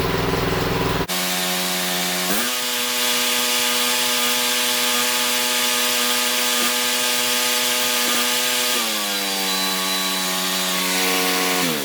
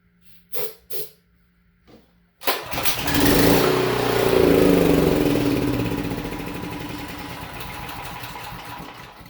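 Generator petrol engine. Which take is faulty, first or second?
second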